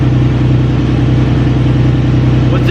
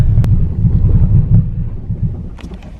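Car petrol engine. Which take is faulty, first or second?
second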